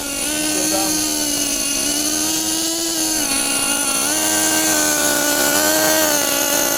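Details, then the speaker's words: 2014 Losi XXL2 LST 1/8 truck, Dynamite .31 gas engine, first ever run: high buzzy two-stroke drone holding fairly steady with slight wavering and burble, very smoky; mixture set very rich. "Yeah, these things the gearing obviously we have it very very rich right now, but it sounds honestly kind of like a nitro."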